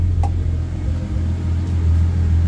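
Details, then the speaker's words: 1990 Nissan 240SX, R34 RB25DET swap, fuel pump unplugged while running before replacing pump and filter: deep low rumble sags and surges unevenly as it burns the last line fuel, running max lean before stalling. "oh what the heck how is this running right now [Music] oh my gosh it's still going Max lean"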